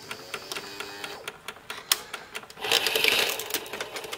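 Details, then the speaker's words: Symphonic 7800S VHS VCR, powered on with a tape: rapid light clicking about three a second, then strained whirring motor bursts as the load/eject mechanism hunts; it will not pull the tape fully in or eject it, leaving it hanging out. "yeah just will not pull the tape pull the movie all the way in that's why it was left hanging out to begin with and when it won't eject"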